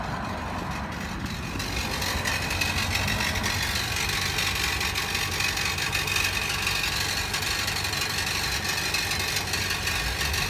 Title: Nissan Compact NV200 Truck Rattle Noise From Exhaust To Front